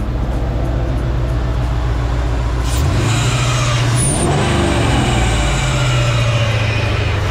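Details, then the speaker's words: LS-swapped Chevy C10 V8 just after swapping a 102mm throttle body for a 92mm: deep rumble with an odd tone climbing and hanging over the idle, plus a squeak; no check engine light, cause of noise unknown. "that sounds crazy we're going to have to go drive it see what it sounds like I don't know why it's making that noise"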